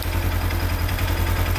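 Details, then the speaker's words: 2016 Polaris Ranger 900 XP running after engine rebuild, first start: steady even low rumble, no knocks or ticks; running smoothly. "now we're really cooking here boy I'm super excited"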